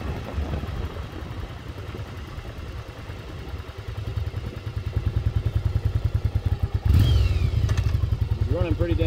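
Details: 1996 Yamaha Virago XV750 V-twin, sat untouched about 10 years in a garage, now cleaned up, pulling away on a test ride: even steady thump climbing smoothly, no misses or pops; running healthy.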